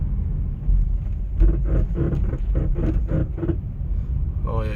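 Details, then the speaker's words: 2011 Kia Sorento after rear shock absorber replacement (old shock over 6 years, bushing came apart): road rumble with short squeaky chirps over bumps persists; owner suspects trailing arm or control arm in the rear. "yeah you can still hear the squeaky sound so that makes me think that it could be something else maybe at the trailing arm or a control arm back there"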